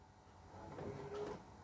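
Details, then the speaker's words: Rolls-Royce Silver Spirit III, lock pressed on the factory remote after a fuse change, quiet cabin: one short buzzing whir then a soft clunk about half a second long; central locking working normally. "the doors lock. If I press unlock, the doors unlock as well. Happy days."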